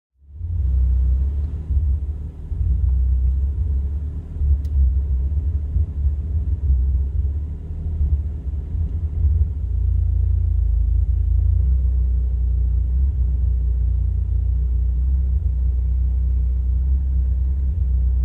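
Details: 1985 Toyota Celica 22RE-C idling at a gas station, recorded with doors and windows closed: muffled, deep rumble surging and dipping unevenly before settling somewhat steadier; rough idle.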